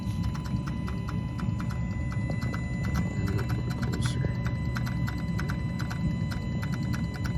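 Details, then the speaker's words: 2020 Kenworth T880 Cummins X15, derate and fault codes, bad engine harness: quick, even clicks over steady diesel idle from VG turbo actuator; gear inside suspected seized, actuator now communicating; replacement planned. "it's trying to do something it's like the gear in inside is seized up and it doesn't like it"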